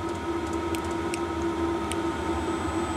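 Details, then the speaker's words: Chinese diesel heater, hot after about 15 minutes, switched off by remote: fan keeps running fast with a steady mid-pitched hum, the normal shutdown cooldown cycle. "there we go this is why you have a battery on it because the fan will run down now if you just turn the power off that wouldn't happen it cools the system down right it just cooling down and the fans started to get really quick so this is part of the shutdown cycle"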